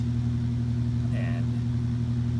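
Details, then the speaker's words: Mid-1950s Ilg Model 83 shuttered garage exhaust fan, new-in-box and never used for 60 years, now first run at about 1500 RPM, mounted on grommets off the wood; steady quiet low 60 Hz motor hum, no wobble or rattle, normal running. "you can hear how quiet it is the only noise you hear is a little bit 60 HZ home from the motor"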